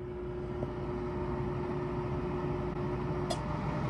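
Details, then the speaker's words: Dehumidifier left overnight, then switched on: a steady low electrical buzz with no run-up as the compressor tries and fails to start. The compressor is locked up and the unit is to be exchanged. "it was trying to turn on the compressor but it was failing miserably and just making these buzzing noises so i think our compressor might have locked up"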